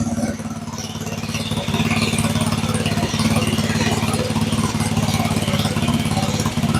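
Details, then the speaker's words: Go-kart with a 7-horsepower engine that had been sitting, after turning the slightly high idle down a touch: steady, even idle at about three and a half pulses a second with no misses or hunting. Normal idle. "That motor sounds pretty steady. It sounds pretty smooth."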